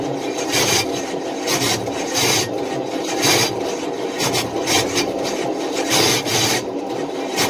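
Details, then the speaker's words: Long-stored engine on race fuel, rebuilt bearings, cranked on half-dead battery, 60 psi oil pressure: harsh rasping grind in uneven bursts, never catches; starter pinion chewing stripped flex plate teeth, debris in inspection pan. "flex plate is done whatever was left of the teeth are now laying in the inspection pan"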